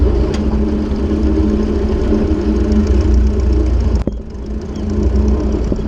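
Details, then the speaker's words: Ford 600-series (640) tractor, abandoned a decade, after new intake/exhaust manifold and vertical exhaust installed: smooth, even low-pitched throb at steady idle, no knocks or misses; engine running healthy. "well now ain't that a Sweet Sound I'm so glad to hear that that is absolutely lovely"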